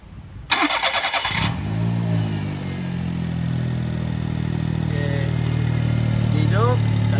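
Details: EF-DET engine after replacing the ignition coil, which was fitted for jerking/misfire under 0.5 boost (spark plug or coil suspected): short crank, catches straight away and settles into a smooth, even idle with no stumbling or misfire; normal start and idle.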